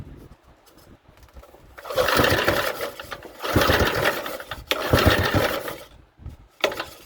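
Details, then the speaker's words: Briggs & Stratton 3 hp small engine, compression test by recoil pulls at full throttle with compression release fitted: short whirring rushes with a firm puffing rhythm over compression; gauge reads about 75, a good reading. "it made it around 75 so that's actually pretty good reading"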